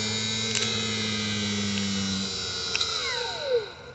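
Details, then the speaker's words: Cub Cadet 169 starter generator field braking test on a known-good unit: steady motor hum spun up, positive moved to F terminal, falling whine drops quickly as it brakes hard; healthy starter generator. "hear that it breaks right now see it's still on [Music] that is a good starter generator"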